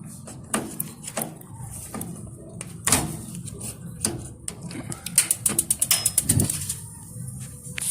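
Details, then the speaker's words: Tankless water heater igniter after replacing the batteries: quick run of sharp spark clicks, then the burner lights promptly with a soft whoosh. Ignition healthy; weak batteries were the cause of it not lighting. "do you hear the difference on the spark now i can hear the flame listen listen how quick this part is compared to the other one one more time see you can hear the flame right away so that was the issue"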